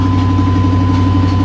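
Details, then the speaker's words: Chevrolet Silverado with the muffler removed, idling with a loud, deep, raw drone and a thin tone over it: open exhaust, no muffler. "let's take her for a ride and see if it's any better see what she sounds like with no muffler"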